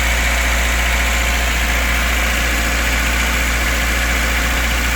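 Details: VAZ 2104, cold idle steady with a faint uneven tapping underneath; knock only when cold, disappears fully after warm-up. Cause not yet found, most likely connecting rod bearing knock.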